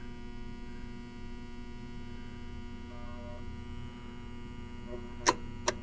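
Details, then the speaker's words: Williams Planets pinball machine: steady mains-pitched buzz from an energized relay on the bottom board, the ball-in-play relay, with two sharp clicks near the end; buzzing may be normal. "Okay, so I think there's a relay on the bottom board that is stuck on. Now again, the relays will just buzz. That's not indicative of something wrong, but we want to make sure the relay that is buzzing is supposed to be buzzing."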